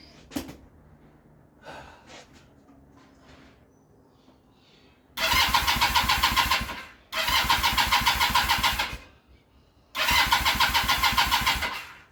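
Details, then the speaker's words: Kawasaki KZ440 project bike, new spark plugs, timing and tappets adjusted, no choke: three short bursts of fast, buzzy cranking with pauses, never catches; hard starting, owner blames weak battery and carbs wildly out of tune. "Alright, so we know that it wasn't starting because of the battery, but also it's not starting because the carbs are wildly out of tuned, and I am deciding right here, right now, I don't have time for this."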